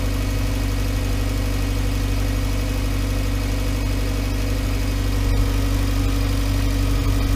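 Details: 2011 VW Voyage with EA111 engine at steady, even idle: smooth low hum, no knocking, ticking or whine. The noise complaint was traced to the water pump; the timing belt and tensioner were replaced. Normal idle.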